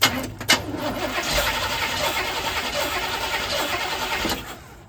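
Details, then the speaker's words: Engine with a recently installed carburetor sold as pre-tuned: cranks and catches, runs roughly about four seconds, then dies abruptly; owner suspected the alternator, but the battery still read 12 volts, so the cause is unconfirmed. "Um this one would fire up initially and I'll demonstrate that here in a minute and then it'll just die."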